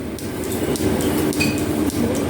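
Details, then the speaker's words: Restored metal planer, first runs with flat belts on crowned fast and loose pulleys, one belt driving at a time: even clatter with a light tick about every half second as the belt fastener passes the pulley, typical of flat belts; normal. "And you can hear the fastener going over the pulley here. And that's typical that is on flat belt drives."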